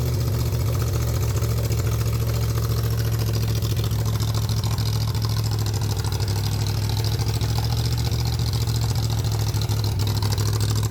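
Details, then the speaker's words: 302 V8 engine driving an air compressor, cold-blooded and cold flooded, choke kept on until warm, governor being sorted; loud steady low rumble, even pace, no knocks or dropouts, normal running and pumping. "Pretty darn cold flooded as one would imagine. Got to keep the choke cold at least for now until we get some temp."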